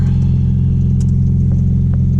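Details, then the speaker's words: Audi B5 S4 just after new 3 bar MAP sensor and tune flash, engine still cold, fuel trims still adapting. Low, steady idle hum with an even beat, no misses, ticks or hunting; normal cold idle. "You still have to adjust, so once they adjust, they will start reading a little better once the engine warms up. It's still cold. But yeah, it seems to rev normal."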